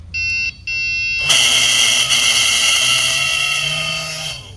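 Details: 1993 Ranger 361V bass boat under restoration: bilge pump gives a thin high whine with shrill tones that cuts out, returns and runs unevenly, abnormal running noise; then sounds better.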